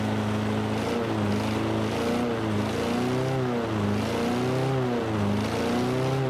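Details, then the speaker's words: Free roadside Toro Recycler 22-inch mower: small single-cylinder engine hunting up and down about once a second, sputtering and kicking before adjustment; turning the setting up a little smoothed it; water in the fuel thought unlikely. "so hearing how that was running there for a minute kind of sputtering and kicking and stuff"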